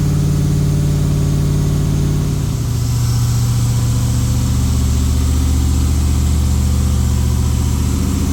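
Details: Freshly rebuilt LS V8 in a Jeep, with a new Comp cam and Holley fuel injection, not yet tuned for the cam. On first fire it holds a smooth fast idle near 2000 rpm, with a slight dip partway through, to seat the rings. Oil pressure good.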